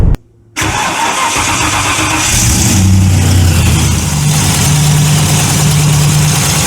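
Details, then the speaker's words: Tuned TVR Chimaera 400 cold start, microphone in the engine bay: it fires and settles to a lumpy idle with a fast ticking tap over the exhaust. The exhaust manifold gasket is leaking, worst when cold. "and that's a cold start so that's stone cold just listening in the engine bay with the microphone so you can hear the uh you can hear the Ticky the Ticky noise the chitty chitty chitty tap tap it's really what it is"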